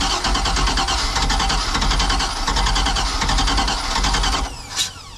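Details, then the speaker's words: Old boat engine with electric fuel pump: steady rhythmic cranking, nearly catching after throttle pumps but never starting; crank no-start, possibly flooded. "oh oh oh she wants to run all right let me give it a couple pumps a little bit of little bit of gas here like that"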